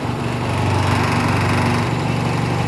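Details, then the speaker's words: 1980s MTD Yard Machine garden tractor, 18.5 hp Briggs & Stratton engine running with a steady rough low throb, faint repetitive clicking and heavy shaking; owner suspects rod knock, oil recently changed; new battery, won't start without charger. "that sounds like knocking to you this is shaking too if you guys can see that's shaking quite a bit right there"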